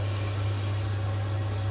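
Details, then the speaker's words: Potterton Promax Combi 28 HE boiler after expansion vessel replacement and repressurising: steady low hum holding evenly without surging, cutting out or rattling; fires normally, gas error cleared, pressure steady just over 1 bar. "okay we've got no gas fired up yet I just pressurize the system that's going to drop a bit expect you know oh my god she's fired up"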